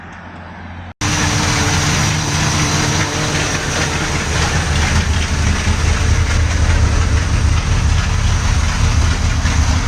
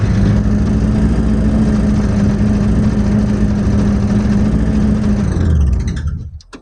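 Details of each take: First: 1979 Corvette carbureted small-block V8 (Quadrajet), off the road since 1995 and recently flooded, idling at first start with an uneven, choppy pulse, stumbles and a little smoke. It's a misfire; the owner suspects it needs plugs and a cleaned cap. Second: 1979 Corvette V8, off the road since 1995, started and pulled out under its own power for the first time in about 20 years. A strong, even burble holds steady, then cuts off cleanly, with no misses or knocks.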